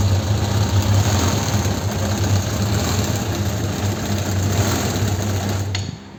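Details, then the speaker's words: Suzuki GSX600F, with rough running reported especially on starting, run on a little fuel before new NGK DR8ES plugs, warm-up and synchronisation. The four-cylinder idle is low, uneven and loping instead of settling: unstable, hunting idle. "Vamos a arrancarla para que para que veáis lo que hace con la con el tema de las revoluciones. Ahí que no es no es estable."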